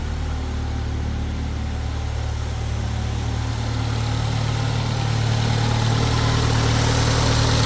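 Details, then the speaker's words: 2010 Mercury Mariner/Ford Escape, after recharging the completely empty A/C system with dye-laced oil: steady idle with a low hum that firms up as the compressor kicks in. It blows cold; the leak source is still unknown. "I just heard the compressor kick on, and it's cold."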